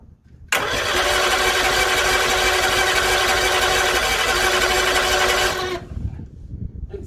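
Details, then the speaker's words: 1964 Bedford CA panel van, unrun for about 10 years, cranks steadily for about five seconds with no cylinder firing; cranks but won't start, ignition suspected (points or spark), maybe one spark seen. "see if we got any life at all there we go if we got a spark it might we just feel not getting down there or we just have no points i think it did spark once you know"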